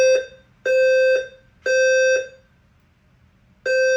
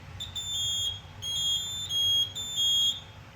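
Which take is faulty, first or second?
second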